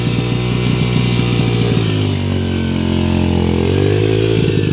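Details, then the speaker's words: 2005 Yamaha 125cc dirt bike, running after the carburetor was reinstalled; a broken piece affecting idle still needs ordering. Single cylinder revs down and back up cleanly with even firing and no knocks or rattles. "However, I can just test it around here, and I'm going to have to order this broken piece so that I can work with the idling. Other than that, sounds great."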